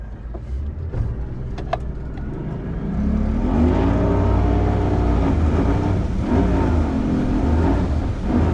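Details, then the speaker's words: Mercury 150 outboard on a Wellcraft Sportsman 180, restarted after quitting: hard revving with a wavering, surging, stumbling pitch that won't hold steady, missing under throttle. Owners think the spark plugs need changing; not confirmed. "It's not happy. All right. All right. Yeah. Well, I'm glad we're going back to the ramp. Uh-oh. Now it's yelling at me."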